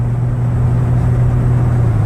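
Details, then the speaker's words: Toyota 4Runner driving at about 55-60 mph on a cold day after rear differential bearing replacement: only steady low road rumble, no growl or howl from the rear axle; differential sounds healthy, fixed. "I can't believe how quiet it is just replacing those bearings in the rear end solved my problem"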